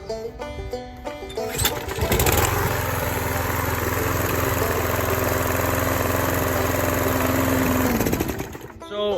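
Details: Yard Man push mower after carburetor replacement (previously started but wouldn't keep running), fuel left to reach bowl, primed: catches after a few pulls, settles into steady even drone, no misses or surging; running healthy.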